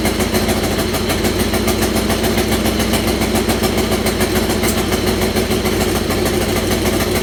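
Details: Buggy first fired on old gas after wiring harness and battery hookup; rough idle with a sharp, fast puffing tick about three a second from an exhaust leak where a left-side exhaust manifold stud had stripped completely and was falling out.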